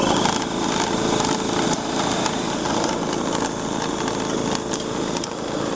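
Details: Waste oil burner with ignition transformer disconnected to simulate a bad transformer: steady fan-and-pump drone with no light-off whoosh; burner runs but produces no flame, no ignition spark.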